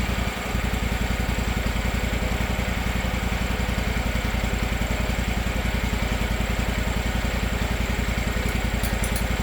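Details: Gravely 260Z zero-turn mower (about 2006) with a Kawasaki FD750D, after a replacement carburetor and relocking a loose idle screw: even idle beat of about 3.5 pulses a second, with no surging or hunting, not yet fully warm.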